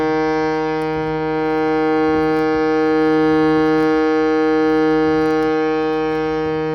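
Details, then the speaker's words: Shruti box after fixing a buzzing reed (tines adjusted with a small flat-head screwdriver, plate refitted): a steady, pure reed drone swelling gently with the bellows, with no buzz or rattle left. "right it sounds like we got it sounds like there's no more buzzing"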